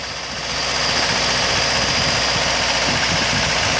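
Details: 2003 Acura RSX base, K20A3 engine, warm, held at about 1800 rpm: a quick, fairly regular loud tapping at about four per second, also heard sometimes at idle; the car runs and drives fine and the cause is unknown.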